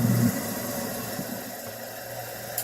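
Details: Garbage disposal after removing a piece that had been knocking inside: loud start, then a steady low motor hum with no knocking or clatter. It now spins freely.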